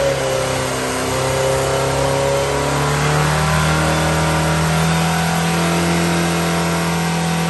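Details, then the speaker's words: New 2275cc air-cooled VW engine, dual 44mm Webers, Engle 120 cam, after timing set, carbs synchronized, idle mixture adjusted and valves readjusted: strong, even flat-four note, clean revving, no misses, knocks or ticking; running properly. "all right so this one's all ready to go sounds good runs good timing's good linkage carburetors everything's dialed in no leaks vales been readjusted"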